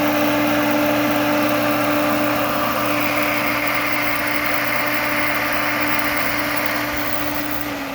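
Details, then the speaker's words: Auction kerosene heater, cover off, start attempt: steady motor hum with a higher whirring tone, igniter striker running, then it winds down and stops with green light flashing; odd noise at the rear pump end, cause unknown. "Same thing. It stopped with that green light flashing. So, there's still some kind of a weird noise back here in the back of the motor. Must be like a pump or something right there."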